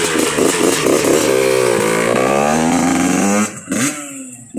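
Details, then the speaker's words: A Yamaha YZ85 two-stroke with a freshly rebuilt top end and about 2.5 to 3 hours on it. It's revved high on a road ride, and the crisp buzz climbs cleanly and drops back sharply with no rattle or bog. Normal, healthy revving. "Man, she sounds good. But yeah, this is kind of got like, I don't know, 2.5, 3 hours on it. It's... Man. Yeah, those 85s, they can rev out pretty high. It's not going to hurt them."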